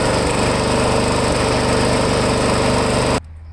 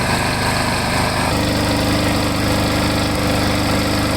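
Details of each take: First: Lawn mower small engine, primer previously fixed, running before any Seafoam fuel additive is added; a steady high buzz with a slightly uneven rhythm, the engine surging or hunting at idle before it cuts off. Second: Lawn mower engine that had been surging, running after Seafoam was added and another capful mixed into the tank: brief pitch change, then an even, steady buzz with no hunting or surging. Normal running.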